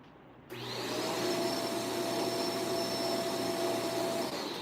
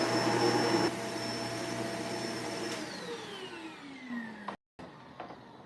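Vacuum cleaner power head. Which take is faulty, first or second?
first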